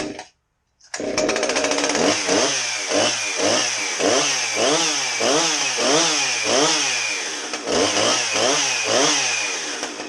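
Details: Husqvarna 357XP chainsaw serviced after being dropped in a river, rusty chain and bar cleaned: after a brief silence the saw fires and revs up and down evenly, firing cleanly throughout; engine running healthy.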